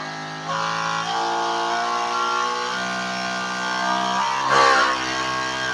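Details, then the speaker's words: 12 V DC high-pressure pump with raised supply voltage (around 15 V), unloaded: steady, strong, stable buzzing whine, noise level rising sharply to about 97 dB versus 93 loaded; higher voltage raises rpm and noise, pump otherwise sound. "Nah jadi 97 ketika dinaikkan voltasenya keberisikannya jelas naik drastis"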